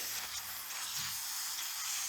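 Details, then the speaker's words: Junk vehicle tire being aired up: a continuous high-pitched hiss with no rhythm over a quiet background, as the tire comes up. Owner hears a leak and a weed has grown up in the rim; cause not confirmed. "Yes, sir. It's coming up. Awesome. I do hear a leak."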